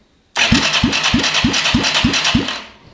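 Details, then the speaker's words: Yamaha YFM225 ATV rebuild, first start attempt after rewiring and battery: starter turns the engine over in even pulses about three a second but it never fires; cranking works, not yet started. "there we have it we've pretty much got it cranking i know it hasn't started just yet"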